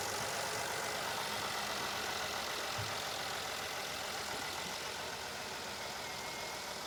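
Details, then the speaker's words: Mercedes GLS 450 with M276 engine after camshaft and camshaft phaser replacement, first start on a jump: beneath background hiss the engine ticks over at a steady, even idle with no knocking; sounds healthy, normal idle. "Okay, it's running. Sounds good. Let me rev it up a little."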